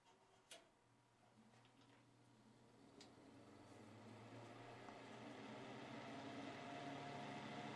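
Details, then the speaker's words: Hoover Knapp-Monarch automatic fin electric heater, likely from the 1970s, fan on low: steady whir with a low hum that swells louder over several seconds; the fan runs loud even on low. "is still pretty loud for the fan at least that's on low to"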